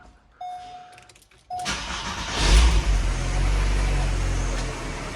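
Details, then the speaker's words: Mk3 Volkswagen Golf started right after an oil change, in neutral: loud harsh running for about the first five seconds with oil light briefly flashing, then settles much smoother; cause unclear. "For the first 5 seconds, it sounds like the engine's just destroyed itself."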